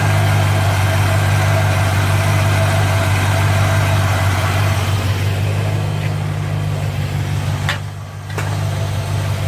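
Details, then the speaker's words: 1957 Chevy convertible V8 with over 250,000 miles, at idle after a late-night exhaust manifold leak repair: a steady, deep idle. The earlier clacking from the exhaust is gone, and the leak appears sealed. "I think it's I think it's sealed up [Music] because even at idle before you hear that clack clack clack in the exhaust"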